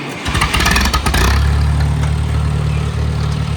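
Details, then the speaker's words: Tractor powering a homemade PTO sprayer in cold weather: brief starter crank, engine fires right up and settles into a steady even low idle; clean healthy start. "All right, fire up the PTO. Fires right up, and now we're gonna watch that gauge there."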